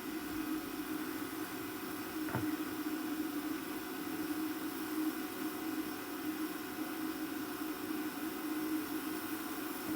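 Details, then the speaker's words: Repaired JVC DR-MV79B DVD recorder/VCR combo rewinding toward the clear leader to test auto stop: steady mid-pitched whir at constant speed with no squeal or grinding, so the transport rewinds cleanly and then stops as it should. "so I'll go ahead and let it rewind and we'll see if the Auto Stop kicks in right when it gets to clear pot it should stop okay and it is rewinding"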